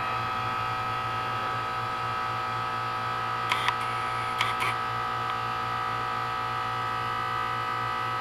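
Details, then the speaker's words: 12-year-old 2004 Carrier 10 SEER 3-ton heat pump outside a gym, frozen over in cold, humid weather: steady electric hum with a couple of brief clicks as it runs a normal defrost cycle, reversing valve switching back to heat mode while releasing steam. "cold and humid perfect recipe for a steam show and there we go back into heat mode and there's all the steam and again"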